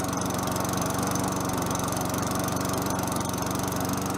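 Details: Free mower with a Tecumseh 4.5 HP single-cylinder engine that sat about 3 years, running after the carburetor was refitted. Steady speed with even, rapid firing pulses and no misses or knocks; runs well.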